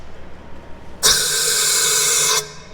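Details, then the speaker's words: Farm vehicle air brakes after a gremlin was fixed: both rear brakes had to be off for air to build in the tank. A sharp hiss of about one second that cuts off cleanly; the air system is now working. "that's working. Well, we fixed that gremlin, still got the electrical one, so yes, that's fixed, I guess."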